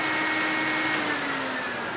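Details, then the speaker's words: Radiator fan newly wired through a fused Bosch relay, running with the key in the ignition position: a steady, even mid-pitched whir with no rubbing or ticking, confirming that the relay wiring and fan are working normally. "when we put the key into the ignition position the fan should turn on when that happens we know we've wired the relay correctly the fan turns on you know our job done right"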